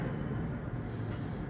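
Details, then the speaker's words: Japanese-market Suzuki Swift automatic at idle after repair: the failed engine coil on cylinder 4 (plug fouled black) was replaced. Intake held moisture and oil, exhaust was choked. Steady, even low rumble with no skips; no misfire now. "ये हमने एक change की है, ठीक है जी। इस time गाड़ी में कोई मिस फायरिंग नहीं है।"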